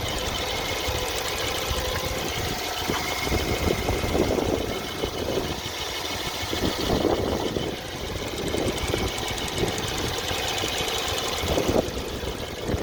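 Steady idle with occasional faint knocking bursts a few seconds apart, not following any rhythm; intermittent knock from the engine, source undetermined.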